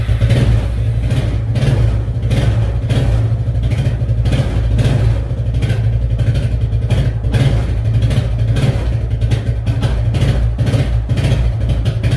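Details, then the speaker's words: Suzuki Quadrunner ATV barn find, first run after 10+ years unused, started on choke; steady low chugging with even firing and light valve clatter, holding speed smoothly; normal running. "10 plus years guys 10 plus years and she's a runner that's awesome"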